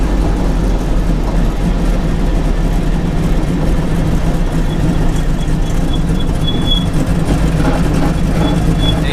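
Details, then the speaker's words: Mazda RX-7 rotary street build on a drive, coolant cruising at 168°F and creeping to 173–175°F at stops: steady deep drone under road rumble with no misses, knocks or rattles; healthy normal running. "Made it to Pops' place. Thing ran great."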